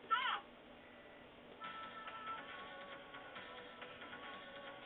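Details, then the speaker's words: Data East Caveman Ninja arcade board with a standard 163 chip fitted: demo tune plays much quicker and drifts out of sync; wrong chip gives wrong sound speed. "much quicker and eventually ends up out of sync so there's your speed"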